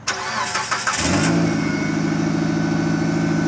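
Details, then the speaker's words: 2009 Mitsubishi Galant petrol engine cranks briefly and settles into a steady idle right after catalytic converter replacement; no rattle from the new converter, though an exhaust leak remains with bolts needing tightening. "it doesn't but it does have an exhaust leak I gotta get back down there and tighten those bolts"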